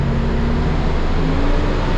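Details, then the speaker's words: Cummins ISL9 at full throttle after an in-frame rebuild; it was dusted and had broken top rings on cylinders 5 and 6. Before, blow-by crankcase pressure set the stop engine lamp at half throttle. A deep, steady, even roar with no stumble, and no lamp now. "Even with the new Bobi filter, about half throttle, the stop engine lamp was coming on because of crankcase pressure, because of all the Bobi."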